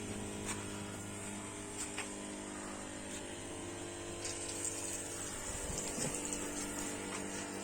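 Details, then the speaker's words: Gardiner window-cleaning backpack pump after fitting a new battery, tested on the job: quiet, steady hum with smooth unchanging tone and running water; powerful, working normally. "brilliant nice and powerful good as me perfect"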